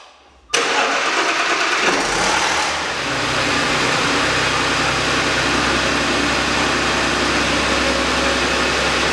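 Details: 2010 Audi A6 engine, sensors replaced, some timing issue, now pulled for the third time: busy idle with irregular tapping under the clatter; suspected rod knock from bottom-end bearings, not confirmed.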